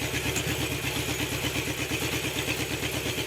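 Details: Honda CB750 four-cylinder idling after carb synchronization, all four brought within 10 of each other after cylinder 3 read low from being opened too far: even, regular beat of about three per second, steady exhaust, no hunting or misfire. Normal idle.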